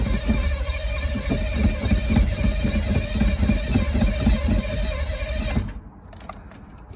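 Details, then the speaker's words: Chevy squarebody crew cab 350 after distributor install, with good oil pressure: steady starter cranking at about four beats a second for five seconds, never catching. Crank-no-start; owner suspects spark or the distributor, not confirmed. "No. Well, tried a couple times and so far nothing. Got oil pressure though. At least it doesn't have a new cam in it, so I can sit here and crank it all day."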